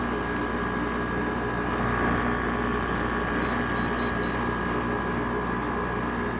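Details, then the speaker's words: Haier window air conditioner after replacing the bearings: compressor and fan running with an even, steady hum, no rattle, grind or the former bearing squeak; running normally. "now it's starting to freeze up which it usually does but as you can hear no more bad bearing noise so i have fixed the bearings"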